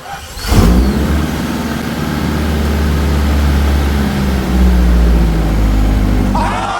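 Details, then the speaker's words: Nissan 240SX turbo project car, first start after troubleshooting and timing work, clutch in: starter catches and engine settles into a low, steady, quiet idle, staying running on its own; healthy idle. "Nice and quiet, just like I planned. It's quiet. She runs on her own, fires up on command."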